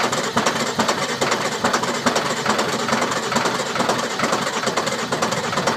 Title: Sisters no start issue